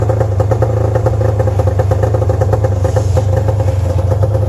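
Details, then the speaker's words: 1997 Arctic Cat EXT 580 EFI two-stroke snowmobile, newer engine, CDI ground fixed; steady burbly low idle that never picks up properly, unchanged after adjusting the oil pump. Idle not rising, cause unknown. "I've already had it started a couple times but it does seem like it it's still even after i justed the oil pump it's still doing the same thing"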